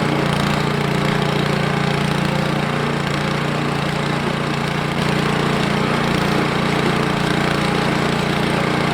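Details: Ariens 28 Deluxe snow blower (921046), low hours, started after two years sitting with stale green fuel, warming up: a steady, even small-engine beat holding the same speed with no misses or knocks. Normal running.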